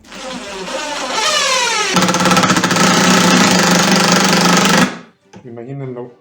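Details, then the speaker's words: Driver/drill putting a screw into wood for a wooden swing's support anchor, with a pilot guide: spins up, then hammers with fast, even knocks about three or four a second as it struggles to drive the screw. "Es importante la guía, porque si no, sí entra muy... Si ahí ya se escucha el golpeteo porque le cuesta meter el tornillo."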